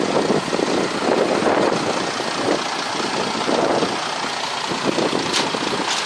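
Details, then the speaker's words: Broken boat engine running at constant speed: loud, uneven, clattery with irregular knocks, sounding worn; rough running, cause not pinned down, and the engine is said to need replacing with a new one. "Mesinnya minta diganti yang baru itu."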